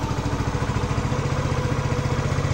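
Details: Fekon Rev X 125 small motorcycle, owned 3 years, after a temporary fix for a burnt part: steady idle with an even, quick low putter and no misfires; it had been stalling when throttled.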